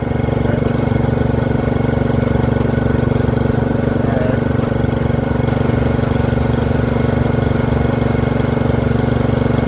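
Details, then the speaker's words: Free Murray 30" riding mower after fitting a new Amazon replacement carburetor (old one surged): steady, even idle chug with no misses or knocks; runs smoothly; blade belt not engaging. "That sounds really good. Brakes work."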